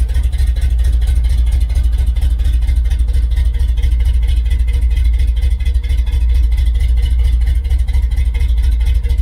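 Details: Restored 1969 Chevelle Malibu V8 at steady idle, exhaust shown, before paint: deep loping burble with even low pulses, no misses or ticking; owner says it runs great.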